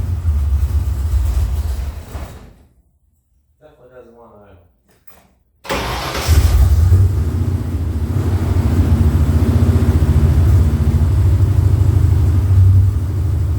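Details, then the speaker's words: 1977 Mustang II V8, true cold start after sitting a while: it cranks, fires and settles to a steady, slightly lumpy idle. It runs fine cold but smokes, pops and bangs once warm; compression and vacuum-leak checks are planned, cause unknown. "well as you can see it does run um and it's not bad ice cold but uh soon as it gets warmed up it starts smoking and popping and banging and farting and doing all kinds of funny things"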